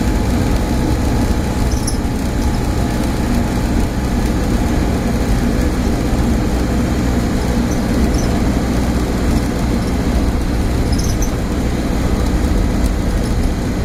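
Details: Stagecoach Cumbria Optare Solo bus 47020 (PO51 WLK) in service between Whitehaven and Workington, May 2015, while driving: a steady, deep drone stays level with no rhythm or change in pitch; a loud humming noise of unknown origin.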